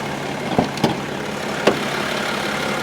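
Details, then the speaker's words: BMW X5 xDrive35d diesel, fully warmed up, with no fresh oil leaks: a steady, even, smooth idle with a low hum and no knocks or misses. The engine is healthy. "and she sounds good it sounds really really good wow she purrs like a kitten super smooth"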